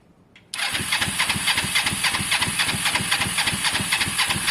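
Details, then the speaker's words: Motorcycle under rebuild (Honda SH125 or Kawasaki ER5): the starter spins steadily with even compression pulses, about four a second, and the engine never catches. Crank-no-start; caked, hand-tight spark plugs are suspected despite spark being present. "genuinely think that the plugs are caked guys and they just so even though we're getting spark on the outside i think they need a good clean or change"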